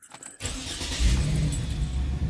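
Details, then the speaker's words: 2007 Dodge Nitro, after fuel pump replacement and an oil change. A key jingle and a brief crank, then it catches almost instantly and settles into a steady idle; a clean, normal start. "starting right up"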